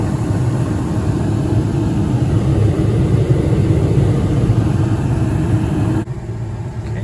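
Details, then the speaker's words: Carrier 58STX070 furnace after replacing the inducer motor (part HC21ZE121A), which had been grinding from dried-out bearings; now a steady, very quiet low hum with no grinding or scraping, running smoothly. "this is what the furnace operating that motor is actually very quiet I don't know how it sounds in the video I can't can barely hear it before it was grinding and making horrible noises now it's perfectly"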